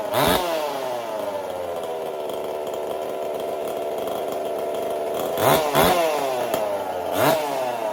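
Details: Performance chainsaw with a 372 carburetor, wire-rigged choke and choke detent repaired: crisp, even two-stroke buzz at steady speed with quick clean throttle blips, revs up and settles without stumbling; normal running.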